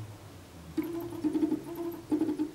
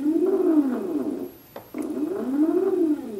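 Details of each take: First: Pololu stepper drivers on a PolargraphSD machine; driver B's motors energize with a buzzy, crunchy mid-pitch hum that surges in bursts and reverberates off the desk. Driver current is set too high and needs tuning by ear. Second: Polargraph SD stepper motor with a Pololu driver after turning current down to about a quarter. A clean tone glides up and down with each move, even and quiet with no buzz or stutter: smoother running than at high current.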